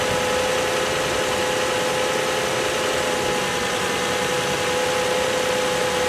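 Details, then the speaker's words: Six-cylinder car after sitting 11 days and cranking oddly (battery new), warming up after restart: smooth, even idle with steady faint hum and fan hiss, no stumble or misfire; normal warm idle. "it started, and it's running like a sewing machine. That's all I would have expected."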